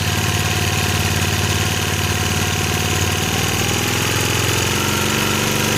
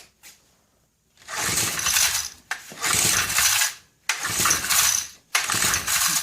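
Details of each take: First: 1965 Honda E300 generator after restoring spark, running with choke in and throttle low, even single-cylinder putter, rhythm easing slightly near the end as speed drops; smooth, healthy running, light powered. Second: Vintage Honda E300 300-watt generator, about 1970, bought at swap meet; about nine hard recoil pulls, each a rattling whir that dies away with no firing; dead, no spark; owner suspects the condenser.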